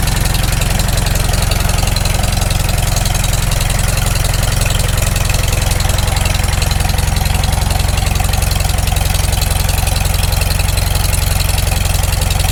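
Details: Farmall Super M first start after full rebuild, still cold, initial carb settings: even steady low beat, idles down well, no knocks or taps; owner expects possible knock once warm. Normal cold idle.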